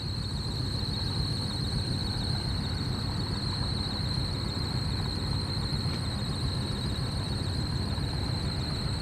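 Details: Trane rooftop AC unit with no cooling: a steady high-pitched squeal over a low, even blower rumble. Slipping blower belt that needs replacing.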